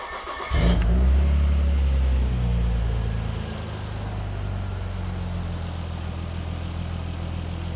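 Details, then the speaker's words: 1998 Nissan R34 Skyline GTR, restarted after finding things a little loose, with IACV connected, before TPS replacement: cranks, flares briefly, then eases to smooth steady idle around 900 rpm, believed correct; dramatic improvement. "oh wow all right so that's a pretty dramatic Improvement that's dropped to about 900 at the moment so um I think that's actually where it's supposed to sit"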